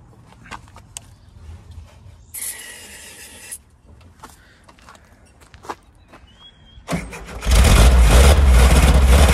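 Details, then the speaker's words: 1970 VW Type 2 Bay Window, 1641cc air-cooled engine, unstarted for about 6 months, cranked on starting spray: a rough rush as it tries to fire but won't keep running; stale fuel and a dirty fuel filter suspected; long cranking. "oh come on go just when she sounds like she's gonna [Music] [Applause] [Music] still not happy"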